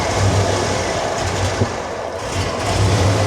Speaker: And then when I push the throttle, it starts acting up like that again and the fuel pressure starts dropping. It's almost down to 15 now.